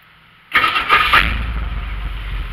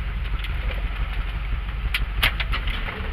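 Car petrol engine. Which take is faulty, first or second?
first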